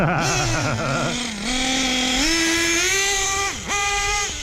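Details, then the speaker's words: Hobao Hyper VS2 nitro RC buggy, about tank 11 of break-in: a screaming small nitro engine revving with a harsh metallic grind underneath, metal eating metal, shortly before locking up; worn clutch bell. "a sound of metal eating metal alive"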